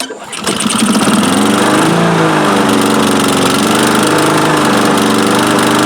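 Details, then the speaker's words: Vintage Honda Harmony II HRR216 push mower, estimated mid-90s, unused for years; after the carburetor was removed, cleaned and refitted, it fires on the first pull with choke and no air filter. It settles into a steady buzzing run with no stalling; running okay. "Well, we did it. We went from not running at all, not starting at all, to starting up on the first pull. And running, I wouldn't say great, but okay."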